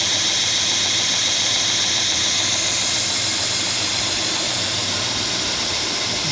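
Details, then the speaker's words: 45-year-old Burr King 2x72 belt grinder, modified with added pillow block bearing and linked motor belt replacing rubber belt: loud steady hiss-and-whir at constant speed with faint regular tick from belt joint; normal running, stable tracking. "I imagine it's louder than a stock one is. But I'll turn it on and let you hear it. Again, remember, it's 45 years old, so."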